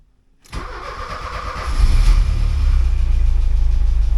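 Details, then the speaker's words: 1979 Porsche 924 after adding a fuel pump relay, a new fuel filter and cleaning the fuel accumulator: starter whirs briefly, engine fires cleanly into a steady, smooth idle with no misses or knocks. Normal start and idle. "And starts up normal. I'll let it run for a while and I'll just see if that fuse still gets hot or this wire here gets hot."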